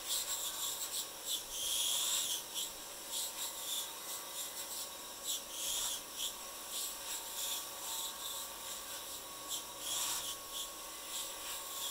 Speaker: When you hear it whistling on the belt, that's chatter, blade chatter on the limb itself. So you can almost hear where you're at as far as getting to a smooth surface.